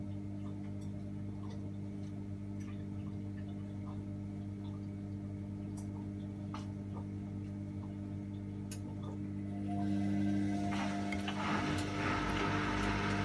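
Steady ticking about four per second over a low motor hum, a regular click during the wash whose cause isn't clear.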